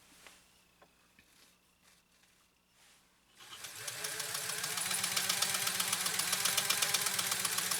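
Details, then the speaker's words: Restored Pfaff 130-6 sewing machine with an embroidery kit sewing its third decorative stitch (settings A6, B2, C3, far-right needle). Even, crisp needle clatter at about four stitches a second after a quiet start: normal running. "So let's sew our third decorative stitch from this 130-6 using this embroidery kit."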